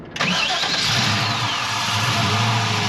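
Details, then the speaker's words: 1969 Chevrolet Camaro resto-mod, rebuilt gen IV 6.0L LS V8 (2024 build) with CVF accessory drive and T56 6-speed: brief crank, then it starts right off and settles into a smooth, even idle. No knocking or weird noises; healthy start. "last star's right off, just like you'd expect. No knocking, no weird noises. Great sound."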